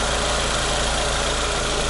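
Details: Renault Logan phase 2 with 1.6 engine and manual gearbox, after the clutch, clutch cable, hub bearing, shifter, ABS and rear beam bushing repairs: petrol idle with a steady, even hum and no knocks or irregular beats.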